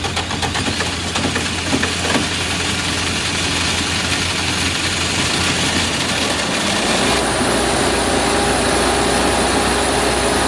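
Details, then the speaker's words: Diesel generator, valve cover on, intake off: slightly uneven wavering idle settling partway through while air is still bled from fuel system. "Alright, we're still bleeding some air out."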